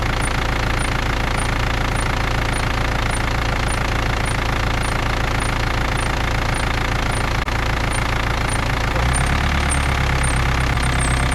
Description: In this video the car is BMW E39 with M47 engine / The sound occurs with engine cold